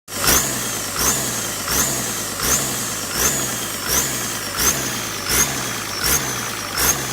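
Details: Diesel with SK200-3 AR42 turbo: high-pitched whistle sweeping upward with each engine surge, about 80 a minute, over a rough diesel note; noisy hissing turbo whistle.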